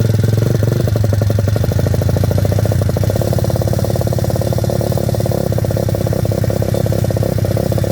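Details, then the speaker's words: Welsh Pit Bike WPB 170 Detroit, unstarted for over a year, fresh fuel, choke on, primed and kicked, stone cold: fast, steady single-cylinder thump with no misses or stumbles, fired up easily. Normal cold idle. "Feels fine to me, it's just stone cold. I actually can't believe how easy that just fired up."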